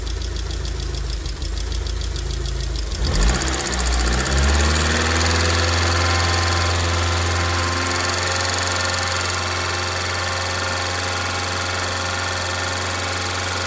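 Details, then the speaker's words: 2002 Rover 75/MG ZT engine, warm at idle with the temperature gauge normal, rather smoky. There is no obviously bad sound apart from a light, quick ticking from a couple of tappets, suspected to be losing some oil pressure. "but I cannot hear any obviously bad sound from the sound from the entr apart from a couple of taets that's loing a bit of oil pressure"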